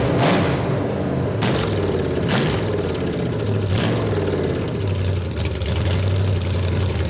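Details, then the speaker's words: Freshly built Ford 429 ThunderJet V8, run on the floor during cam break-in, with good oil pressure: it runs fast, revs wandering, and never drops to a slow idle. A faulty carburetor is holding the idle high; the engine itself seems fine. "it won't howl down because of the carburetor but i'm gonna crank it up let you guys hear it run i mean i think the motor is fine got good off pressure sounds good except for the carburetor"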